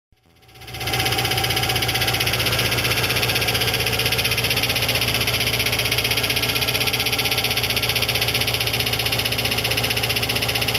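Right after it fires up, a fast, steady metallic knocking runs at about four per second; it points to a cracked drive plate.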